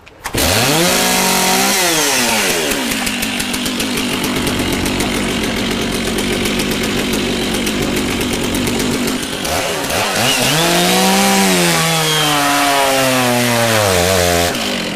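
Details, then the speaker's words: Stihl chainsaw cutting a log: high buzzing revs sag hard and stay down as the bar is forced into the cut, then recover; the engine is bogging from too much feed pressure, a mistake, so ride the edge before power and RPM drop. "Now, did you hear that pull down real hard? That's something you don't want to do, okay?"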